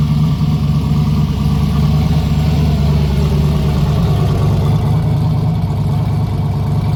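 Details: Big-turbo Dart 363 V8 Foxbody; deep, even rumble with a steady beat and no top-end ticking; the valve train sounds quiet and healthy.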